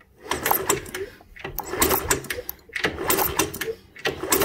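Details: Honda CT110 Postie bike, stood for many years, cranked while checking for spark after cleaning the ignition switch: uneven bursts of a light mechanical whirr turning over freely, no binding or scraping; free-turning engine, not seized.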